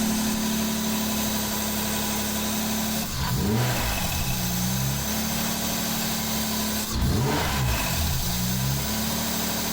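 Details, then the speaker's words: Mazda MX5 with a swapped-in replacement engine: steady idle, then two rev blips with a light clattery edge rising with revs; swapping the VVT solenoid changed nothing, so the owner suspects the VVT mechanism behind the front cover. "that's pretty conclusive changing the solenoids didn't change anything solenoids on both sides seem to be working okay really it's down to the actual VT mechanism itself"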